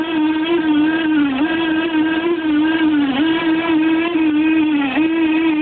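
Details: No. 3 reduction gearbox: loud steady whine that sags in pitch briefly about every two seconds, an abnormal gear noise compared with the normal-sounding No. 2 unit.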